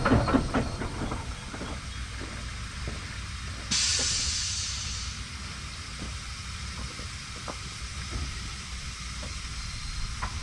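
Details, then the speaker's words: 2007 Freightliner Columbia truck, engine shut off: sudden loud hiss of air bursts from the air dryer and keeps bleeding away; air dryer is bad, leaking, and needs replacing. "your air dryer do this after you shut the engine off just constantly allow a lot of air to blow by but if it does it's bad it's time for us to replace this one here"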